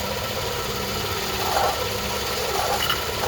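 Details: 2011 GMC Acadia 3.6L V6 at idle: a loud rough grinding with a dry whir; confirmed with a stethoscope from underneath on the passenger side as a failed, visibly shifting water pump bearing; tensioner pulley bearing also dry.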